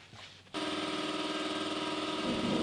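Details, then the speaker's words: Truck front end: sudden sustained squeak for two seconds when steering either way; front track bar bracket moving on the frame, a bracket hole left unbolted; planned fix is drilling through the frame and adding a bolt. "So as you could hear that really annoying squeak when you turn either way, it looks like the track bar bracket is moving."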